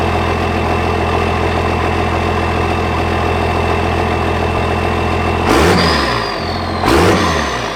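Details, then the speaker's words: 24-valve Cummins diesel truck project first running again after rework, one battery, lift pump initially not running: steady diesel clatter at idle with two clean throttle blips settling back; normal idle. "So the 24 valve is alive once again."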